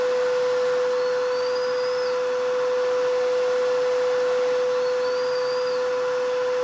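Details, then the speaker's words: Vacuum with brush roll off, nozzle passing over a rug edge: even, unwavering motor whine with only faint rug squeaks; pitch doesn't drop, so the motor isn't straining under load. "so other than a squeaking of the rug play there's really no difference in sound in this there's no real difference"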